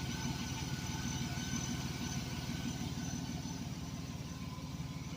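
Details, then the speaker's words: 1998 Chevrolet Blazer LS 2-door 4x4 with 4.3 V6 at idle: smooth even idle with a steady low pulse about three beats a second, no ticks or misses; runs smooth, normal idle. "4.3 basically a 350 with two Pistons chopped off sounds pretty decent not as good as a V8 though run smooth real"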